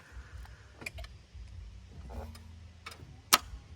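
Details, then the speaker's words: Damaged 2.0 TDI Audi A3 saloon with front-end damage: a few light ticks and one sharp click with no cranking; no crank because the starter motor supply wire was damaged. "So that is the problem. The starter wire to the starter motor was damaged."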